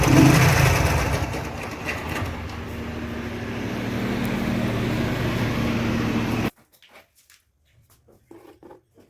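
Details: Yamaha R15 V3 engine noise problem: an uneven, crackly ticking over the single-cylinder running beat for six seconds, then it cuts out; source of the crackle unclear.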